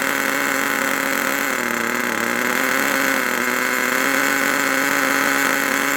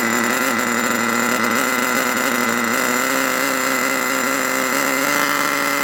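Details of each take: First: HotBodies 3.5 nitro engine in an HPI Savage 21 RC truck, after turning the idle screw out: high, steady, even idle buzz that cuts off cleanly; idle sounds healthy. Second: HotBodies 3.5 nitro engine in HPI Savage 21 RC truck: loud steady high-pitched buzz that never settles; idling too fast and noisy, idle screw turned out to bring it down.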